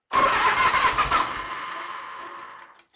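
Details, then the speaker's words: 1986 Harley-Davidson Heritage Softail, 29,000 original miles, first start after over 10 years off the road, on choke: the V-twin catches, bursts into a ragged rev, then fades and stalls within three seconds; a hose was leaking oil. "engine on choke on oh yeah she's gonna go choke her off"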